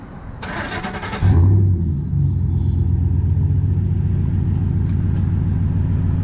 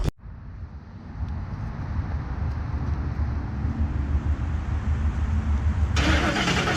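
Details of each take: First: 2010 Ford F-150 at idle, just after installing a Rough Country dual cat-back exhaust, checking for leaks: starter whirr, brief flare, then deep steady idle rumble with no puffing or ticking; exhaust sealed, normal. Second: 2010 Ford F-150 V8, cold start on the damaged stock exhaust before a cat-back install: a loud, deep, throaty idle with a rapid exhaust pulse; a big hole or crack in the exhaust is suspected. Exhaust leak.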